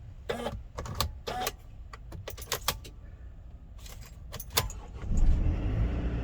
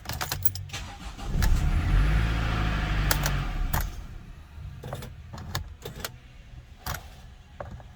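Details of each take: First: Mercedes Sprinter after replacing the relays and the electronic steering lock (ESL). A key jingle and clicks, then the steering lock releases and the engine cranks and catches instantly into a steady idle. Normal start with no fault codes. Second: Early Mercedes Sprinter (2007–2018 range), intermittent no-start from a faulty electronic steering lock (ESL) that sometimes doesn't release: several short cranking bursts with clicks, then the engine catches and settles.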